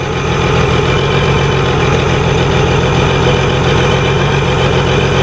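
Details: Honda Goldwing at a smooth, constant idle with an even low rumble, no stumbles or surging, while the air cleaner box is opened up during a fuel leak repair; engine runs cleanly, normal idle.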